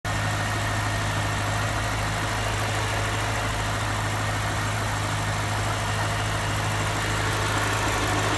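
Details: BMW Alpina H1 (N62B44 V8) at 160,000 km, idling: deep steady drone with a faint constant whine and busy rattly clatter; abnormal idle noise, cause unknown.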